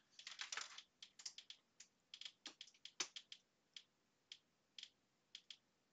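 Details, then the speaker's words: Xbox One S over HDMI at 720p, with screen artifacts and purple streaks: sharp, uneven bursts of clicks from the TV speakers. Clicking stops at 480p. "If you can hear that clicking, that's coming out through the speakers. So that clicking's coming out through the speakers."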